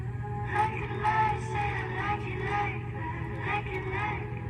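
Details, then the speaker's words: MacBook Pro 13" Retina A1502 (late 2013–mid 2015) after replacing the speakers: music plays cleanly with no buzz or rattle on the right side, which had rattled before; problem fixed. "see if you can hear that rattle on the right side shouldn't happen anymore"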